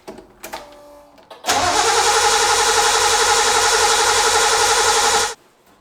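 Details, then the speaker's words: Datsun 260Z, carbureted, two carburetor rebuilds, long unrun then restarted: starts on the key after a brief crank and settles into an even, strong idle with no misses or knocks; surprisingly healthy start. "It's so weird that started right up, but we'll take the win."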